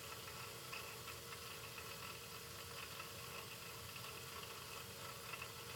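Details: Taco 007-F5 hydronic circulator pump running: a steady hissy whirr with a faint irregular rattle over the motor hum. It is noisier than normal and the cause is unclear.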